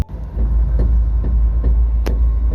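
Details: BMW E46 Compact drift car with welded diff, snapped driveshaft right after a diff oil change: deep steady rumble with a dull thump roughly every 0.4 seconds as the car limps along.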